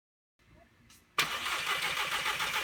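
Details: MkV GLI that sat three months, then wouldn't start; fuel pump module already replaced without effect: a quiet click, then steady starter churning that never catches; cranks but won't start.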